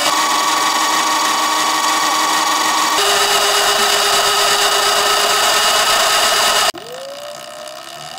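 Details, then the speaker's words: Sur-ron LBX electric bike after adjusting belt tension to about 0.5 cm of finger play: the drive hums steadily with most of the belt whine gone. Light chain ticking is now more audible; the owner is considering replacing the chain with a belt. "you can hear most of the belt sound is gone and the bike sounds a lot less winey"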